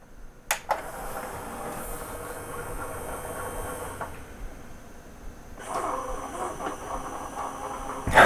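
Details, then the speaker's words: Sony CDP-CX355 CD changer, nearly 20 years old, after replacing the loading and carousel belts: soft motor whirr with light clicks as the disc is drawn in, with no grinding. "Nice, the carousel is rotating and it's cycling through all the discs. Door's working fine."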